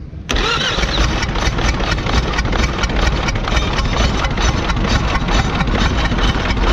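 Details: Kia engine running: it catches and settles into a rough run with a sharp knock about twice a second over the idle. Abnormal engine noise; the source is unclear and the mechanic is stumped.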